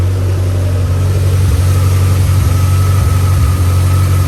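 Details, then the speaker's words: Mitsubishi Evo X after serpentine belt work, battery reconnected: steady low idle with even rumble and no whine; no battery light, belt and alternator sound healthy. "all right no battery light i don't hear no whining"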